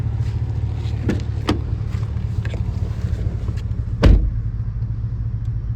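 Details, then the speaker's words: 2018 Cadillac Escalade 6.2 V8 after DOD delete cam kit with LS7 lifters, shorty headers and Magnaflow muffler: deep steady exhaust rumble with light revs, no ticking or tapping; slightly louder than stock, healthy. "And it's just a little bit of noise, which is what I was looking for. Something just slightly louder than stock, just so you know that there's a 6.2 in this thing."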